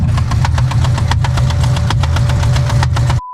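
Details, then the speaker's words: 2006 Corvette Z06 knock that sounded almost spot on to rod knock: fast, sharp metallic knocking keeps time with the idle over a deep V8 rumble. The shop found it was not rod knock; a rocker arm had come loose. "The knocking noise that you guys heard in the last video sounded terrible, almost spot on to rod knock."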